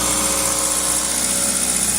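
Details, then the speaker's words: 2000 Toyota Celica GTS, 2ZZ engine, warm at 90 °C coolant, throttle cable disconnected, throttle position 11–12%. Steady, even hum at about 1800 rpm with no dip; high idle, extra air suspected, idle air control valve examined next. "we're now at coolant temperature at 90 degrees Celsius engine speed at Holy Smokes 1800 RPM throttle position still at 12 percent and I cannot hold the throttle any more than that"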